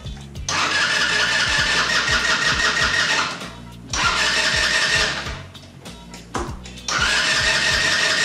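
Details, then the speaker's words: 150cc GY6 scooter that won't idle even after idle-screw adjustment: fires and revs but stumbles and sags whenever the throttle closes, never settling; owner suspects CDI or a bad carburetor auto-enricher, running rich/flooding. "we might also have the auto and richer might have gone bad in the carburetor which provides the right amount of fuel once the scooter is warmed up"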